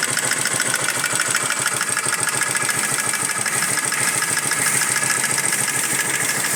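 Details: Pushrod motorcycle engine at idle: busy fast metallic ticking clatter from the top end, cause unclear.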